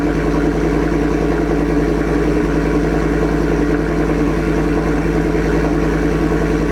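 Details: 2024 Ford F-150 single cab, 5.0 V8, with a freshly installed Corsa catback exhaust. A steady, deep idle burble with even pulses and no ticking or puffing from the joints; normal V8 idle, exhaust sealed.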